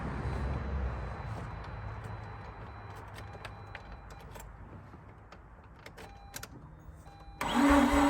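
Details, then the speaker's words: Mazda RX-8 rotary after 2.5 years sitting, new spark plugs: slow, heavy, sagging cranking that fades without catching, battery reading 12.2 V; no start, owner suspects weak battery and considers bigger jump box or faster starter. "okay now I'm detecting that things are becoming a little bit weaker uh I'm going to check the voltage showing 12.2 volts"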